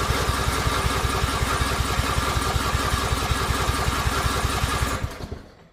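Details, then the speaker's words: Lawnmower: steady rapid cranking for about five seconds with no firing or pickup in speed, then winds down; engine acts like it's trying but won't catch, stopping as soon as the key is released; cause unknown. "It just does not want to start. And I don't know why it it acts like it's trying. You can hear all that all the noise it makes. It It's trying, but it's just not quite catching."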